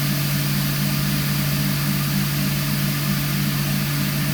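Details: Indesit ISDP429 Autopump spin dryer (made by Hajdu, Hungary) spinning with hot water: smooth, steady low hum at constant pitch, no knocks, rubbing or wobble; spinning evenly, normal.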